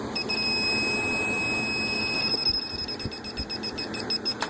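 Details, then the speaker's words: AC indoor evaporator coil checked with an electronic leak detector, blower on and compressor running: a shrill steady tone breaks into fast chirping about three times a second. A refrigerant leak is confirmed in the evaporator coil. "it seems to be picking it up mostly right around there in the coil now with the blower on and the compressor running you should be able to pick it up pretty good pressures well"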